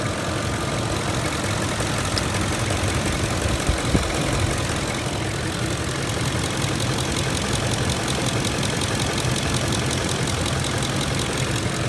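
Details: 2006 Ford F-150 idling at about 625 rpm, hot after 45 minutes of driving at about 109 degrees, visibly shaking; low, uneven lumpy idle with no steady rhythm; rough idle, cause not pinned down.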